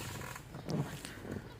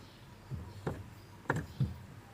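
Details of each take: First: Clutch pedal pressed: short creaks and a thin squeak, from dry clutch master cylinder pushrod and clutch return spring at the pedal base; fixed by spraying lubricant and greasing the pushrod and spring. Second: Four soft, dull thumps as the clutch pedal is pressed, no squeak or creak, after spraying Sonax and greasing the clutch pump rod and clutch spring at the pedal pivot to cure the creaking pedal.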